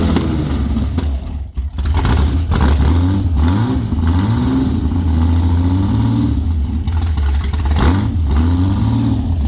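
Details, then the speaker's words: Former world-record Ford 300 inline-six race engine with Pro Stock Boss 302/351C head in a 23 Roadster, primed with alcohol: fires and runs with deep steady beat, blipped up and down a few times, clean and even; healthy. "I'm going to get Rob to come on in here and help me fire this thing up"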